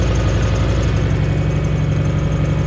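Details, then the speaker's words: Turbo 1UZ Lexus V8's first start after a new fuel system with twin 044 pumps, surge tank and external regulator: pumps audible, steady, even idle with no misses or knocks; fuel pressure low since it is manifold-referenced. "The 044 is working because you can hear it. Oh, listen to that. So that's it, we're running, it's beautiful."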